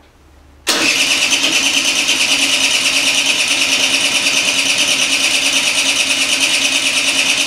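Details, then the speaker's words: Peugeot Elyseo 50 scooter after fitting a new cylinder: steady fast buzzing crank, about three pulses a second, no catch or firing; no-start cranking. "also ich habe die zündkerze überprüft die zündkerze war knochentrocken"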